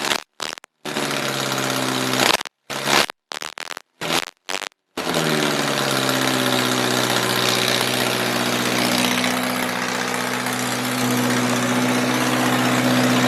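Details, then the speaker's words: 1978 MG with 1.6L Miata engine in a cold garage, after idle air control valve delete to fix a vacuum leak. A few short cranks, catches, settles into smooth fast cold idle easing down, no misses; normal idle. "yo i i have to admit that is the absolute best that it has ever run man that is invigorating"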